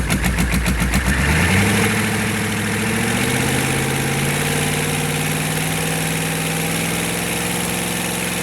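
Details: Stanadyne DB2831-4911-pumped GEP/Navistar 6.5 diesel on a run stand with new injectors, exhaust manifolds off, oil pressure about 34 lb: quick cranking, then a steady, even diesel clatter as the idle drops and smooths; healthy idle.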